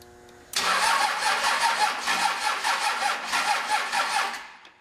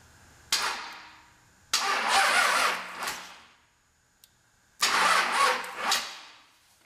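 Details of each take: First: High-mileage 5.9 Cummins 12-valve diesel with P7100 P-pump, cold start after a loose ground bolt was tightened: strong, quick, even cranking with no slowing or clicking; healthy cranking before fueling. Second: High-mile 5.9 Cummins 12v diesel with P7100 P-pump, sitting a while, fan removed: two short labored cranking bursts, starter turning slowly and never catching; slow cranking traced to a loose, bad battery cable/ground connection.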